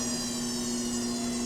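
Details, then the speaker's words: Bridgeport Series II vertical milling machine knee power feed lifting the heavy knee upward, where failures usually show: steady even motor whine holding pitch, no grinding or knocking; sounds really good. "Works pretty good. If they're ever going to fail, they're going to fail on the upside for the knee coming up. This sounds really good."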